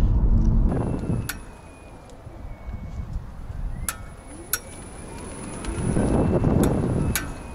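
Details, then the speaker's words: 2018 Nissan Leaf pulling away and slowing: sharp, isolated snaps, some in quick pairs, over low road rumble, suspected from the front hub, after a first failed hub adjustment; fixed at the second attempt. "so that snapping noise basically developed pretty much the next morning after I started working"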